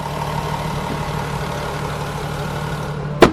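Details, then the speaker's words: VW Golf 4 VR6 2.8 L V6 after replacing its noisy timing chain: smooth, even idle with a steady low hum and no chain rattle or ticking; the engine is quiet and healthy. "alles schön ruhig so gehört sich das"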